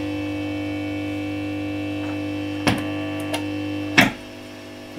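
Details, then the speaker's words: Marshall Valvestate S80 guitar amplifier during repair with reverb tank disconnected: steady low hum with handling clicks; hum comes from unplugged reverb input. "ah the hum was the reverb so if you have a listen look the reverb of course is disconnected it's hanging out over here"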